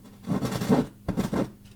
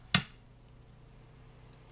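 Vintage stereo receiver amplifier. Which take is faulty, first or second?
first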